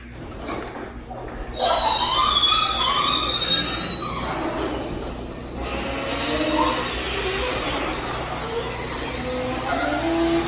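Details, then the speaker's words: Garage door squealing and chirping as it rumbles along its track; the noise is not from the parts first suspected but from the small rollers, which seem very dry and unlubricated. "I thought maybe it's coming from these but it's not actually it's coming from these little rollers I think they're just really really dry"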